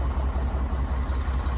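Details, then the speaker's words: Cummins-powered Sterling semi revived after 8 years sitting, coolant refilled, at operating temperature: deep, even throb at warm idle with no stumble or knock; no smoke; normal idle. "We accomplished what we set out here to do. Truck runs, it seems to run pretty good."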